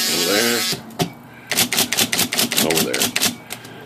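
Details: IBM Selectric typewriter after dual impression control cable replacement, tested at different impression settings: crisp, even strikes in quick bursts, each with a clean snap, no dragging or double hits; typing action sounds healthy.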